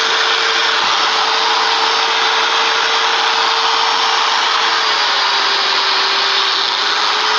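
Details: Utility trailer build, motor-driven gear unit after greasing: a high, even whir with a steady tone and none of the earlier gear grinding; the gears now run normally.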